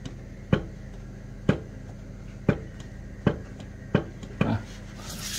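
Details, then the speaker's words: Yamaha RX-King with excessive vibration, rotor rocked by hand: six dull clunks about a second apart showing crankshaft fore-aft play; suspected worn crank bearing housing, bearing, or left crank half. "bisa maju bisa mundur berarti ini ada kemungkinan rumahnya rumah laher kruk as-nya aus atau lahirnya us atau batang kertas yang sebelah kiri Aus"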